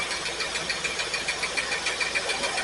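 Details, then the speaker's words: Pontiac Firebird V8 after 8-9 months stored, checked with test light; lumpy uneven idle with missing pulses; cylinders 8 and 5 not firing well, owner suspects fouled plugs. "Well, it looks like number 8 and number 5 cylinders are not firing very well. It's probably just crap on the plugs."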